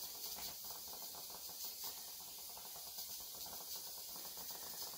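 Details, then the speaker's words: Presto pressure canner on a gas burner, holding steady pressure with the gauge needle not moving. A steady, even hiss of escaping steam with no sputtering or surging; normal, ideal steady pressure. "it's holding steady the needle's not moving that's what we want that is the ideal circumstance right there"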